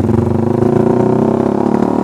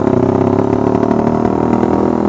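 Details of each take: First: Suzuki Satria Fi150 riding with the O2 sensor cable installed: uneven stuttering firing pulses from 1,000 to 2,000 rpm, worst around 2,000, clearing above about 3,000 rpm; a low-rpm hesitation whose cause is unconfirmed. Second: Suzuki Satria Fi150 with an anti-stutter cable connected, held at 1,000-2,000 rpm in first gear: an even, steady note with no stumbling or popping, running smoothly.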